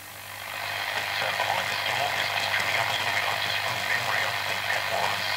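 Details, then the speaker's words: Vintage L401E valve radio after a new 150 ohm resistor and a new earthed power cord, still producing harsh, crackly, choppy garbled speaker output; cause not yet found. "let's have a listen and we'll see what's going on I hopeful but no still making the garbled"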